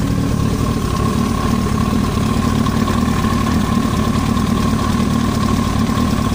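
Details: Yamaha YZF-R1 at even idle: a quick metallic chatter over the low exhaust drone, an abnormal ticking noise from the engine head; cause not confirmed.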